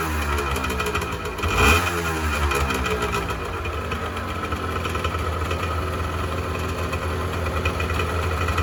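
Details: 1986 Honda NS400R 400cc two-stroke triple, started after 11 months: a crisp throttle blip, then a steady, slightly burbly idle with even popping from the pipes; runs healthy.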